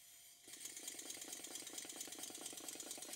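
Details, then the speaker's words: Stuart model steam engine on total-loss lubrication, after a very fine adjustment made to cure a slight knock on one cylinder: quick, light, even exhaust chuffs about eight per second with no knock, running sweetly. "I think the engine is running quite sweetly but I can hear that one of the cylinders is slightly knocking"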